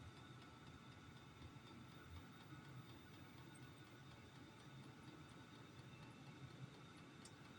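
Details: Amazon-bought diesel heater running on kerosene, first fire-up of the season while burning dust off: steady low burner rumble, even fan hiss and faint ticking pump, no surging; the heater is running properly.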